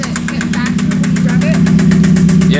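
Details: 1991 spec Mazda Miata at idle: sharp regular knock about six or seven times a second over steady idle; oil pressure still good, cause unknown.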